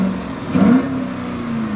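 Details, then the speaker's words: 2007 Dodge Charger Daytona R/T, 5.7 L Hemi V8, 57,000 miles, recorded from inside car: deep even idle, then quick clean rev rising and dropping smoothly with no knocks or ticks; healthy engine. "Sounds good in here. I don't know what it sounds like on the recording. Hopefully nice."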